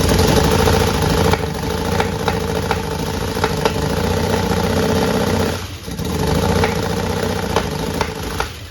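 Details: 1961 Chevrolet Impala with a fuel-injection conversion on its first start attempt: injectors firing, oil pressure present, battery weakening. It runs rough, popping and coughing and nearly dying, so the engine is sputtering; suspected ignition timing, possibly valve adjustment.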